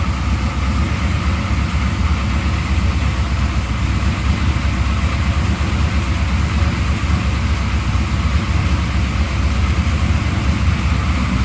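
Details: Freshly built 383 stroker for a 1995 LT1, Eagle forged crank, Holley Terminator X, brief first run on engine run stand, cold: deep smooth even V8 idle, no knocks or ticks; healthy, though water pump leaks from missing gasket.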